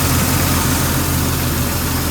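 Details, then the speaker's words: 1999 Jeep Cherokee XJ 4.0 inline-six at normal operating temperature, idling around 725 rpm after new Champion Copper Plus plugs, cap, rotor and wires at 60,000 miles: smooth, steady low idle, even rhythm, no stumble or ticking; normal warm idle. "Okay, idling now, normal operating temperature here. Idling, it's like around the 725 range, I guess. Lower, sounds good."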